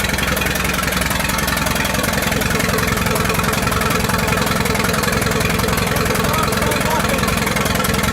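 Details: 1928 Farmall Regular four-cylinder after carburetor tweaks and a valve adjustment, timing advanced about halfway: steady, even low chuffing beat with no misses, knocks or rattles; normal running.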